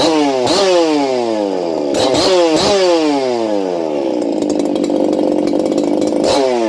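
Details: Ported experimental Shindaiwa 492 chainsaw on bench test run with stock air filter: crisp two-stroke screams up and falls back in quick blips, revving freely and cleanly with no bogging or stutter; healthy, responsive saw.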